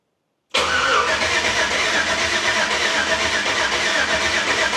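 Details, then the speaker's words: LS V8 in a C10 with a new Holley Terminator X Max EFI: the starter spins steadily for several seconds and it never fires, because the EFI key-on power source loses power during cranking and needs a different source. "Turn the key on, Carter. But now, crank it. It loses power on the crank."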